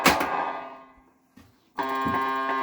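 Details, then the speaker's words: 1978 Stern Nugent pinball with Corey sound board on new ribbon cables, testing whether cables are at fault: ringing chime fades, then bright steady multi-tone game sound; normal sound board output. "all right corey soundboard attached with the new ribbon cables and our sound is back start again"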